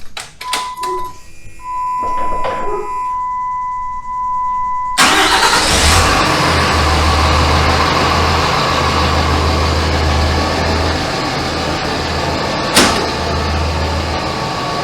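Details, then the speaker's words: 2007 Dodge Ram 2500 5.9 Cummins turbo diesel with G56 six-speed manual, about 250,000 miles, first start after South Bend dual disc organic clutch install: light clatter about four times a second at idle in neutral, known gear backlash chatter with this clutch. "So initially, I can hear the chatter that they talk about with the southbend clutch. And they say it comes from the gears kind of backlashing against each other while in neutral, which that doesn't really bother me."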